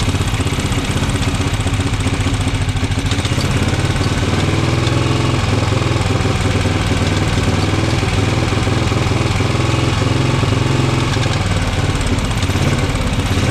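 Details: Norton Model 50 single-cylinder just revived, held at fast hard revs to stay running with a busy, uneven bark, won't idle down; owner suspects a gummed-up carb, worn points and coil, unconfirmed.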